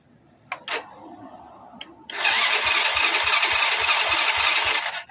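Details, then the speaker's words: Honda Grand motorcycle with old CDI installed, starter motor spinning fast while kick-starting works easily: electric starter whirrs about 2.5 seconds with steady compression thumps three or four a second but never fires; no-start blamed on weak CDI. "it still won't start, Bro, to double start with using an old CDI so it's only the CDI part that causes the double start, it doesn't want to start the machine or it's hard to start it."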